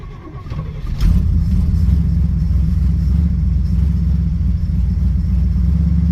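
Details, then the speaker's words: 1967 Chevelle V8, cold start after sitting about a week, lower 60s °F outside, no choke, heater core seeping: brief crank, catches at once and settles into a deep, steady, even idle with no stumble or misfire. "not got a choke, but that's pretty good, right?"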